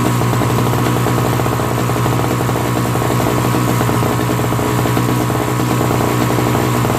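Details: Old Craftsman 5 hp single-stage snowblower, Tecumseh engine, after carburetor cleaning and replacement of a leaking, fuel-filled float: fast, even firing beat with a firm low thump and no stumbling or surging; engine runs smoothly and steadily.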